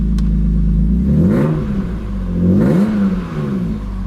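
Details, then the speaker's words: BMW E36 M3 test start after replacing a seized fuel pump and its melted wiring connector: engine catches and is blipped twice, pitch rising and falling cleanly with no stumble or clatter; revs freely, normal. "that sounds good"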